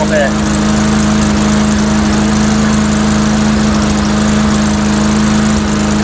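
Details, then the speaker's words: Mastercraft 3-in-1 mower with a replacement engine, old unit, test run with RPM increased a little: steady even drone at raised speed, no misses, surging or knocking; runs fine, owner suspects carburetor maybe running rich. "rather than the OD po off it's not running too bad I figure you know what what the heck it's an old unit that's um it's probably the carburetor maybe running to R you know"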